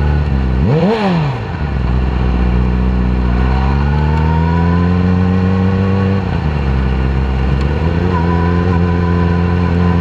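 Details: 2010 Yamaha R6 four-cylinder revs up and drops back with a ragged, uneven note instead of a smooth howl; misfire, running on only 3 cylinders due to bent valves in cylinder 4.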